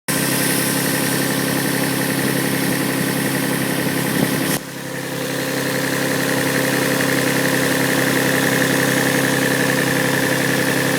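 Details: Toyota 1G-GE (Yamaha) engine idling cold; light, regular knock of about three to four beats a second over the engine hum, cause not pinned down; cold-start knock.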